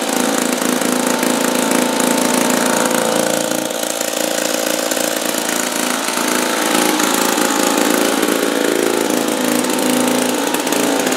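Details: 1950s two-stroke lawn mower, apparently Wheel Horse (Dunlap name, horse head on the engine), running after 10 years hanging unused on a wall. A fast, raspy two-stroke buzz holding a steady pace with no stumbling or dropouts; running normally.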